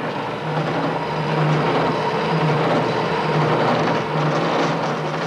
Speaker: you can see the record result this is known as chatter